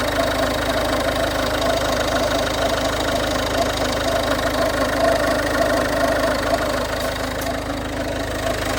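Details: 2011 Ford Fiesta 1.4 TDCi diesel idling with a loose, uneven knock at roughly two per second over the engine note; owner suspects a pulley or bad alternator, unconfirmed.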